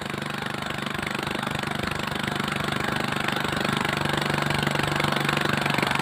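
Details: Villiers (Greaves Mk12) small single-cylinder four-stroke engine idling normally after a misfire/no-start fix involving the ignition points near the coil; steady, even thump of about three beats a second.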